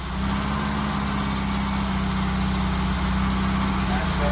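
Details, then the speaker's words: Barn-find Mk1 VW Golf GTI, unserviced, after a new fuel tank and new fuel pumps: steady, even, quiet idle with a smooth low hum and no misses or knocks. Normal idle. "yeah it's actually nice and quiet so that is it new fuel tank new fuel pumps all back together and that is how we wanted it to sound just sounds much better"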